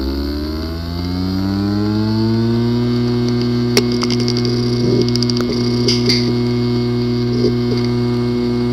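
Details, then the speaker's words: Seagate Backup Plus 1TB 2.5-inch drive, ST1000LM035, in USB enclosure, not detected: spins up with rising whine, then sharp irregular clicks and brief buzzes from a physically damaged disk assembly. "the following is the sound from welcome the hard drive which experienced disk assembly physically damaged"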